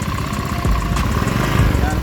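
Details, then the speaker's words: Honda Beat 2015 scooter, engine torn down twice in a year with the block already replaced, idling very rough with a coarse, ragged chug and lacking power on throttle. Teardown traced the fault to the crankshaft oil passage. "Ini ada Beat 2015 dalam setahun sudah sering bongkar mesin sudah pernah diganti blok dan suaranya Kasar banget"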